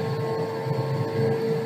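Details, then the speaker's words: Electric motor under motor-control software, leveled off at 1500 RPM set speed, confirmed by handheld tachometer; smooth, even hum with a single steady mid tone, no knocks or wavering. Normal steady running. "we've leveled off at 1500 RPM and the tachometer agrees with it."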